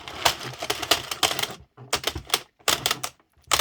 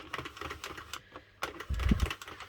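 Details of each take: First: Circle knitting machine (Sentro or Addi) cranking, getting hard to turn as yarn splits and stitches split; bursts of sharp uneven clacks each turn with stiffening rhythm. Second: Addi/Sentro circle knitting machine after tension corrected, turning the full way round; light even clicking with no catching or grinding: normal smooth cranking.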